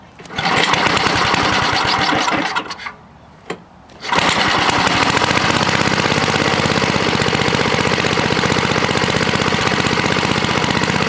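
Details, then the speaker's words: Toro 524 snowblower with Tecumseh H50 engine, which wouldn't stay running, after repair, started on choke at full throttle: a steady, even single-cylinder beat with no surging or stalling, running 25+ minutes; normal running. "And we'll let it run like that for a while. Yeah, it ran for 25 minutes plus. No problems whatsoever."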